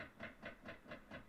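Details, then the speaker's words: Nissan Titan at key-on after the HVAC control dial was reassembled. Soft, rapid clunks repeat about four times a second behind the dash: the HVAC blend door actuator clunking, called a typical Nissan problem. The fan speeds work. "Okay, let's turn the key to its own position, and here we go. We have HVAC actuators clunking."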